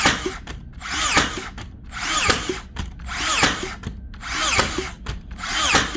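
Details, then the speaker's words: Makita DBN600 cordless finishing nailer after repair for misfiring and not sinking nails: regular cycles just under one per second, motor wind-up ending in sharp snap, no dry shots; firing properly, retracting pin to load next nail. "that is actually a massive Improvement she's definitely actually taking the pin back again to load up the next nail not a problem this time"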